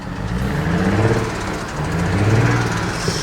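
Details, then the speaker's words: Tuned BMW E92 335i turbo petrol with downpipes, blipped with microphone near exhaust: loose uneven rattle under low exhaust rumble, wastegate rattle; owners also hear a ticking, suspect leaking injector or loose spark plug. "but give it a bit of a tickle it's definitely got wastegate rattle"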